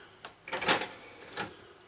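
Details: Numark KMX 02 CD unit, test after reassembly during repair: short tray motor whirr with a couple of soft clicks as the tray slides out and stops; disc tray opens normally.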